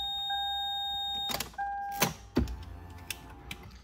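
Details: Lexus SC430 alarm siren sounding at start: steady high beep holding about a second, cutting out, then sounding again before handling clunks; going off when it shouldn't, owner suspects the black box unplugged from the skid control module; cause not confirmed.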